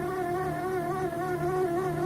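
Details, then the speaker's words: HP Q2612A (12A) cartridge in HP 1010/1020/1022 laser printer after refill: steady insect-like buzz while printing, from magnetic developer roller lacking lubrication between magnetic core and aluminium sleeve. "Слышите, как он неприятно гудит? Попробуем как-то быстренько с этим справиться."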